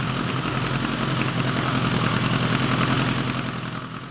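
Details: 1986 Kawasaki GPZ1000RX after carb rebuild and cooling-system work with new hose clamps, run a long while, temperature gauge about halfway: even, deep idle pulsing about three and a half beats a second, settled and steady; normal warm idle.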